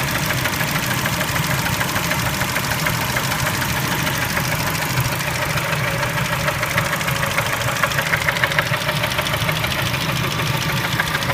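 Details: Spectra engine at idle: a quick, fairly even ticking knock at about three per second rides over a steady idle. It is a persistent engine knock whose cause is suspected but not confirmed.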